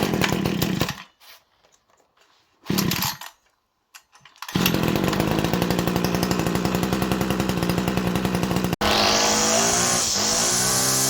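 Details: Salvaged Sterwins PBC1-26L-AB.2 26cc two-stroke brushcutter after cleaning the tank and carburettor and adjusting the carburettor to stop it faltering: starts after a few cord pulls, even idle, revs cleanly; normal running.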